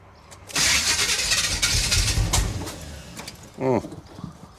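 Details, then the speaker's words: 1977 Chevy Monte Carlo, unstarted for about 1.5 years, during start attempts while adjusting timing: ragged cranking with uneven sputtering catches that never settle, getting worse. Distributor possibly turned the wrong way; starter needs shimming. "okay that sounds like it is not getting better it sounds like it's getting worse"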